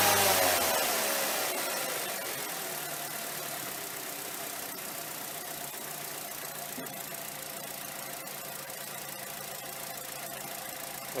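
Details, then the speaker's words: 2.0 petrol Mazda 6, which had a rough, erratic idle, stalling and poor fuel economy, starts after throttle body cleaning, flares briefly, then settles into a steady, even idle with no knocking. "it started okay. It's actually ticking over better than I thought."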